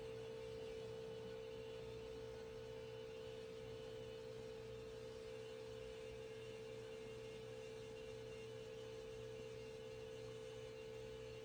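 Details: 2011 VW Jetta TDI Sportwagon diesel after fuel filter replacement, pump activated via VCDS to prime: steady, clean mid-pitched hum, constant, no grinding; healthy priming, no leaks.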